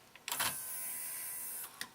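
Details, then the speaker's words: TEAC V-900X cassette deck: motor whirs for a second, then a sharp click as the cam slips back about a tooth; the transport does not engage play. The eventual fix was adjusting the variable resistor that controls the transport's lift and door mechanism. "it's got to be physical so it's almost there it's kind of like it's on the brink it's so close to engaging"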